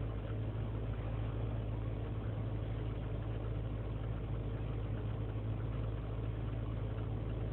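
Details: 2003 GMC Sierra Z71 5.3 V8 cold start after sitting overnight in single-digit temperatures, idling unassisted; erratic, low, uneven idle with rpm dipping to 500; lean and misfire codes, owner suspects failing intake gasket; runs fine once warm.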